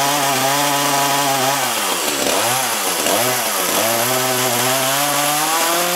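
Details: Echo CS-330T top-handle chainsaw that had not run in years, test run after a carb inspection: revs high then sags and surges unevenly, clearer than before but still rough; old gas suspected; rough running.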